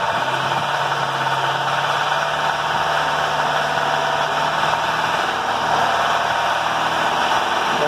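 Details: BMW with an engine knock around 2000 rpm: light, rapid knocking at raised revs, which disappears when the intake VANOS solenoid is controlled with a power probe; the cause is a faulty variable valve timing (VANOS) cam gear.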